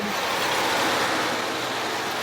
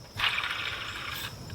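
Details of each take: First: 2016 Ford F-150 after changing both belts and replacing the AC tensioner: steady engine run with smooth belt hum, no chirp or squeal, then shut off; no leaks, no squeaks, belts healthy. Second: 2016 Ford F-150 XLT during belt change, idler pulley spun by hand with the belt off: short dry gritty whir dying away over a second; rough, worn idler bearing, advised for replacement.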